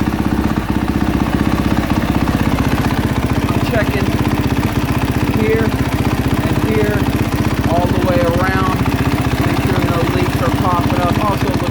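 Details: 2022 KTM 450 SXF after transmission repair (5th gear had failed), heat cycle on stand at about 154° and rising while checked for leaks: smooth, regular idle, no misses, rattles or knocking; normal warm idle.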